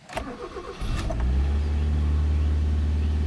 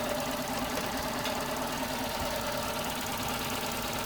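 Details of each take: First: Mazda 323F with high idle, worse when cold: brief crank catches into steady fast drone that stays high and won't settle; idle still too high, cause unresolved. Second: Mazda 323F petrol engine while its base idle is being reset via the grounded diagnostic port: slow, even tickover at about 600 rpm with no misses or surges, matching the earlier idle; normal idle.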